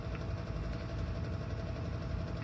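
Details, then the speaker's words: Whitfield Quest Plus FS pellet stove with the pellet auger just switched on; low steady rumble with even hum, no knocks or squeals; auger feeding normally. "so let's go ahead and turn the auger on as well you'll hear it start"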